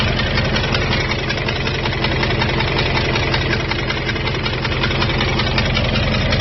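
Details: 2002 Jeep Grand Cherokee WJ 4.7, professionally rebuilt engine with 4k miles, noise began after restart at rest stop, heat and oil normal: steady idle with light regular tick about three a second; owner suspects loose exhaust manifold.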